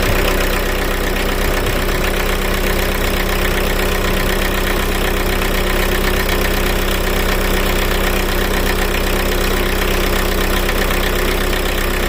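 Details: Car running after a start on a Lidl jump starter alone, with the battery positive terminal disconnected: steady, even idle at a constant speed with no misses, rattles or surging. The engine runs fine.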